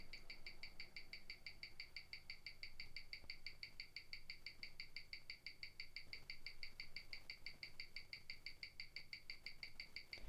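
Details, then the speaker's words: 1997 Omega Speedmaster Professional, caliber 1861, on a Weishi 1000 timegrapher; crisp, quick ticks at an even rate of about six per second with steady spacing. Rate went from plus nine to plus six to plus five. Normal watch tick. "you know when we started off it was plus nine and then it moved up to plus six and now it's at plus five"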